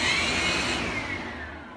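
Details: Cinestar multirotor setup 7, motors stopped by moving left transmitter stick back to bottom left: smooth high whine sliding down in pitch as the motors spool down cleanly, no rattle or roughness; normal spin-down.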